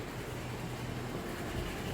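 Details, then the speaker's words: 2013 Honda CR-V with code P0341 at idle: harsh, clattery rattle that sounds almost like a diesel, from a badly stretched timing chain slapping its guides, stretched more than on another CR-V with the same code. "This one sounds like a diesel, because this one has, the chain has stretched more than the other one has."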